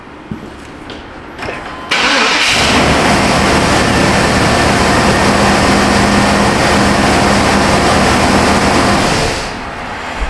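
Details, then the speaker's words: 1999 Chevy Suburban with 5.7 V8, after fixing a crank-no-start caused by a new part not making connection; brief crank catches at once and settles into a steady, even idle with no misses, starting and running normally. "We'll make sure it starts and runs one more time, but that's Joe's over."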